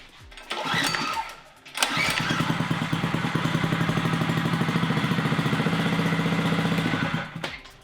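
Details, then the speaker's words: Neglected mini bike's small single-cylinder engine, started with only the kill switch fixed; fires up after a couple of tries and settles into a steady even idle putter before shutdown. Normal running. "in the close-up video of this bike i said that the engine runs and so let me start it up real quick show you this is all i did is kill switch"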